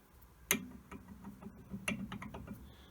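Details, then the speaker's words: Holbrook T13 tool room lathe main feed gearbox, stripped down: irregular bright metallic clacks as a shaft rattles in its worn bronze bush from excess clearance; fix planned is a new oversize shaft, about 1 inch plus 5 thou. "can hear them rattling around. It'll run like that, but I'd rather have it whilst I've got it all in bits, sort the problem out."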